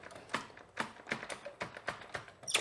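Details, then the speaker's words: Kawasaki KLX110, early 2000s, after kickstart/clutch repair: crisp ratchety clicks about three a second, each catching cleanly without slipping; normal kickstart engagement. "just like it should problem solved"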